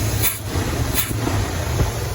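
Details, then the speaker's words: Buick-powered C20 Suburban with Quadrajet carburetor, 68 Wildcat tune, after two weeks' driving: idle mixture screw leaned until rough, then backed out about half a turn; low, steady V8 idle with even beat, no stumble or miss; mixture set. "Back a quarter of a turn. Alright, so a half a turn maybe. That seems ideal right there."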